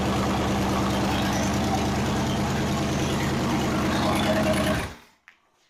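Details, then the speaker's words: 302 V8 budget rebuild, with new plug wires, during timing and idle adjustment (about 12° timing, 16 inHg vacuum): an even, steady idle sitting a little high for five seconds, no stumbles, then switched off. Normal. "It's really snappy. It's got around 12 degrees timing in it right now. And it had 16 inches of vacuum at whatever RPM it is."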